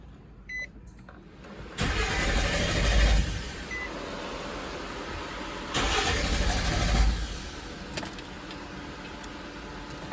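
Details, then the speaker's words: 2006 Nissan Xterra cranking without starting: two cranking spells of about 1.5 s each, steady starter churn, never catches; spark tester shows no spark. Valley cover gasket oil leak into plug tubes shorted ignition coil, blowing 30 amp ignition fuse. "well there's definitely no spark so we've got a no crank no start cylinders aren't getting spark"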